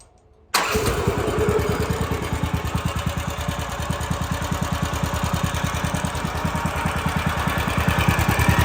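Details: Woodland Mills HM130 Max sawmill engine at 62 hours, started with the belt off: runs with a rattling, clattery rhythm over the exhaust beat; owner suspects the centrifugal clutch and a bearing.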